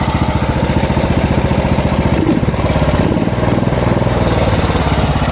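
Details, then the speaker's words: Small lawn mower engine with a rapid thumping idle that swells and sags instead of holding steady. A clogged fuel line starves the engine; blowing air through it brings the idle back to normal. "Piepūt gaisu iekšā, tad viņš normalizējas. Citādāk sāk staigāt šitas lo."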